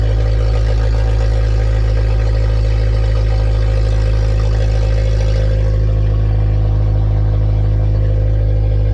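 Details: K20-swapped Honda EF sedan running on its own after injector fault fixed, checking alternator charging: deep, steady, even drone from loud exhaust, no misses or ticks over several seconds; smooth healthy idle.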